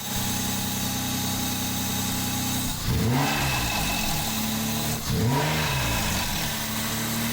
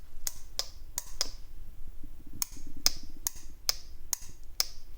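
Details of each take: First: Mazda MX5 with a swapped-in replacement engine: steady idle, then three quick throttle blips with a light metallic valvetrain chatter rising with revs, cause unclear; rechecked after checking valve clearances, replacing water outlet seals and tightening exhaust manifold nuts. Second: VVT solenoid removed from a Jaguar engine fitted in an MX5, bench-powered at 12 volts in a quiet room: crisp clicks in bursts, about two a second, as it switches on and off; the solenoid works normally, its filters undamaged.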